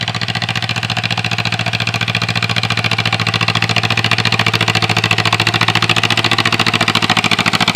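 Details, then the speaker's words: 1947 John Deere M tractor, run once a year, hard to start after sitting, got running the night before: steady, even four-beat chug at constant speed while cultivating sorghum, no knocks or misses; cultivators clogging but engine running normally. "so it's it's running pretty good it's just uh now our cultivators are getting stopped up but it's fine"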